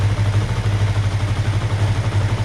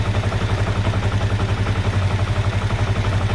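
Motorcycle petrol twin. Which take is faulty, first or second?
first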